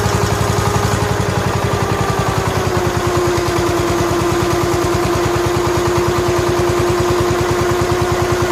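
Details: 1969 John Deere 140 H1 garden tractor, cold start after fitting a brand-new carburetor, oil somewhat black: even steady putter at idle with no misses, knocks or hunting; runs well, quiet and smooth.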